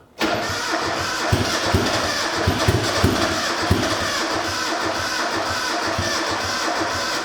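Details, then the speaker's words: Rebuilt high-compression turbo Miata engine on its first crank after the rebuild, before base timing was set. It catches but runs lumpy and stumbling, as if it lacks compression on some of its four cylinders. "Jesus, that doesn't sound great. Doesn't sound like it's got compression on all four cylinders, to be honest."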